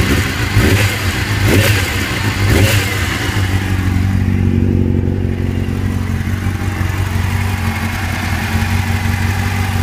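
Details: 1999 Suzuki GSX-R 750 engine revs rise and fall, then settles to a steady idle with a light tick on top at 65°C/149°F water temperature; ticking source not pinned down.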